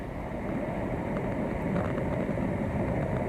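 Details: Pool leak detection with underwater listening mic: constant low rushing hiss, no rhythm or mechanical beat, water escaping through a structural crack running down the pool steps, confirmed by dye test.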